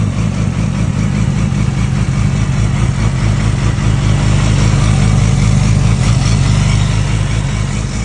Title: R6 Rj11 weird noises